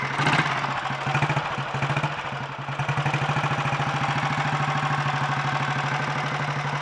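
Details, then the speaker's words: 1951 Royal Enfield 350 Bullet G2 single, first start after full engine rebuild (worn timing-side main shaft, bearings replaced): settles into a quick, even thump after a few revs, no knocking or clatter; normal idle, mechanically quieter than before. "and i think the engine is uh quite a bit quieter mechanically too it's i gotta say it didn't really seem to sound too bad before actually to me"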